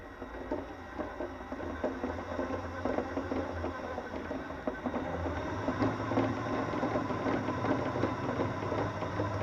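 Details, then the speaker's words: Blue Mini Cooper S RC car driving, with quick fairly regular light knocks over the small motor's whir. The owner suspects rear rocking makes the front suspension hit the bodywork or bottom out; he earlier suspected a bent back right axle. "So I think with that rocking up and down, that's making the front end bounce, and I think the noise actually comes from the front end suspension hitting the bodywork or bottoming out, but I think it's the back end that's actually going up and down."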